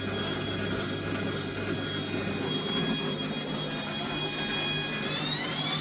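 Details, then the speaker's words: Bosch WFF1401 washing machine motor after motor bearing replacement, back panel off: steady high whine climbing smoothly in pitch, no rumble or grinding; normal motor run, much quieter than before. "It's loud, but the back isn't on it. So put the back just lightly in place because that'll hold some of the noise. I would say it's a lot quieter."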